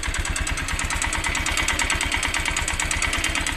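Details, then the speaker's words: Motorcycle engine at idle just after a part was refitted, with a regular ticking knock about three per second riding over the engine note from inside the engine; owner unsure of the cause. "Parang dito siya banda tumuturog mga kaburnek sa loob dito. Sa loob ng makina niya."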